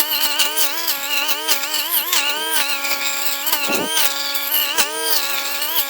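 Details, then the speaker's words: STIHL string trimmer cutting tall grass with line about 4 in too long (guard's line cutter missing); high engine note keeps sagging and recovering, engine labouring under the overlong line. "Okay, that line is way, way, way too long. So, I did notice this earlier. The line cutter on this brush cutter guard right here is missing. I don't know if I just got rid of it or what, but my line is really about 4 in too long. Did you hear how much harder that works?"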